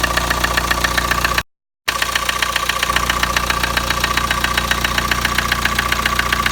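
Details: Kia Sportage engine right after start-up: sharp, even tapping about four knocks a second over the idle; engine knock of unknown origin.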